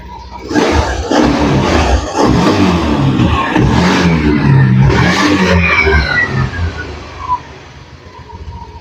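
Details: Honda Beat fuel-injected scooter that had stalled and would not run, after injecting a little oil into the cylinder to clear carbon from the valves that was leaking compression. Catches and revs strongly, then idles steadily, with smoke from the oil. Normal running after repair.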